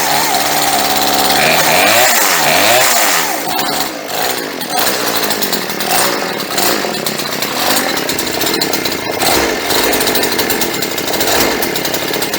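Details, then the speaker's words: Chainsaw that sat 4–5 years, fuel lines replaced, first start with choke off: small two-stroke settles to a low, slightly uneven burble after a few blips; runs cleanly but the idle is set too low, to be raised for carburetor tuning. "Okay, that sounded pretty good. You can tell the idle set a little bit too low, but in order to tune the carburetor, what we're going to do is turn the idle up just a little bit extra."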